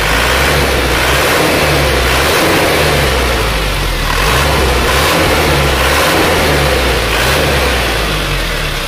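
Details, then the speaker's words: Isuzu Panther diesel after injection pump timing was corrected and fuel delivery was increased by a little over a quarter: deep, even drone rising and settling with the revs, clatter gone, runs smoother and pulls stronger. "tidak ada lagi suara kerang ini kena krimnya kita Munculkan troll tapi lu keluarnya kita tambah seperempat lebih sedikit dan nyatanya suaranya sudah lebih enak dan larinya juga lebih kencang"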